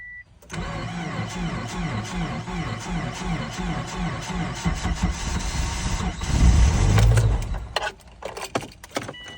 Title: 2007 Subaru Forester 2.5XS extreme cold hard start